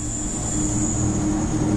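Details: 2006-2012 Honda Civic after AC compressor replacement and a recharge through both lines. Engine runs steady with the compressor engaged, an even hum and constant high hiss, no knocking or rattle; both lines evenly cold, compressor healthy.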